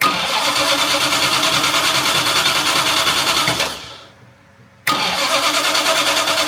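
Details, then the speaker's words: Jaguar MKII after reassembly and water pump work: cranks, catches, dies briefly, restarts into busy, slightly uneven shaky idle needing throttle tickling; charging reading only 11.9 V, owner suspects faulty alternator. "it's a little shaky I had to tickle it as you heard"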